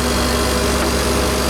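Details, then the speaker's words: Non-running AC condenser unit, likely cycling on high pressure the day before: steady low electrical hum, no rhythm or pitch change; contactor maybe slightly burnt out so coil can't pull in; contactor and overloads replaced. "But sometimes you get a motor go faulty and it does sound like a welder humming away. So maybe the contactor's slightly burnt out and the coil can't pull in."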